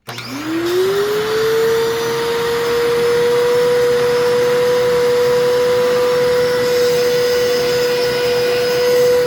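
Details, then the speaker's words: Vacuum cleaner with its original filter: the motor spins up with a rising whine into a loud, steady, rough-edged tone; suspected clogged fan and completely dried-out bearings. "yeah so definitely needs some work that motor sounds like it is the fan is probably clogged and which not an uncommon problem with these these things are prone to that and um the bearings also are completely dried out to the point where yeah the thing sounds awful"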